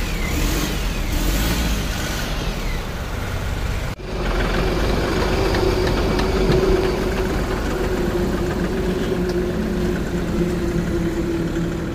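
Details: Ashok Leyland Dost BS6 diesel that stopped at night with supply pump not switching on, part cleaned of carbon: brief crank, catches at about four seconds, steady even diesel idle; normal idle.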